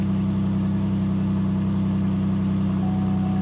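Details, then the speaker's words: 2007 Buick Lacrosse auction car, about 102,723 miles, low oil level, no engine light: even idle with a fast regular puffing tick, three to four per second, over a low drone; exhaust leak. "Let's hear it run. Oh, we got an exhaust leak."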